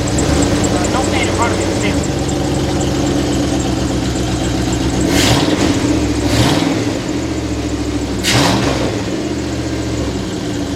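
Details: 2001 Dodge Ram 1500 pickup, 5.2 engine with check engine light on: fires and settles into a heavy, lumpy idle with an uneven deep rumble; sounds off, cause not yet identified.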